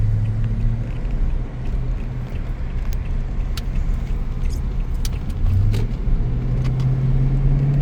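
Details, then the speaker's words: 2019 Toyota Tundra V8, driving: deep, even rumble that swells smoothly as throttle opens over light road noise, no knocks or misses; normal V8 acceleration. "So that V8. Man, that thing sounds good."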